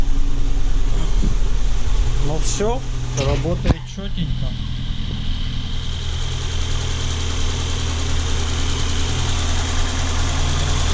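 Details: Ford Focus 1.6 after head removal and rebuild for an engine knock, first start on flushing oil, coolant not yet filled: cranks briefly, catches, settles into a steady even low idle with no knocks or ticks; sounds healthy.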